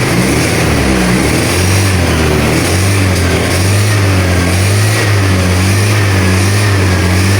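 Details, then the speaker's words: Honda Vario 110 scooter with a weak battery, initially wouldn't start, revved on throttle blips: uneven drone that dips and catches instead of climbing cleanly. Ignition misfire; fuel supply judged fine. "Oke, kita sekali lagi berempat, Mas Gu, Motornya berbet, Bosku."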